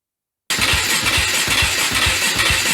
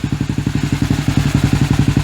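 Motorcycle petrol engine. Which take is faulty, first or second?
first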